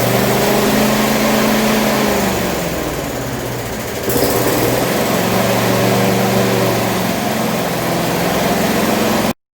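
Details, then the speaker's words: Rover mower engine after fixing earthing wire contact: steady buzz, brief dip, picks back up, then cuts dead; now shuts off properly, though revs likely too high. "And she stops because I've fixed up the actual contact with the earthing wire."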